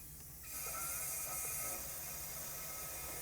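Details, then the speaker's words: Ford F150 5.4 Triton, blown spark plug repair on cylinder 4: shop air fed into the plug hole gives a loud steady hiss flowing through open valves until the crank is turned to close them. "and you can hear the air flowing through the engine"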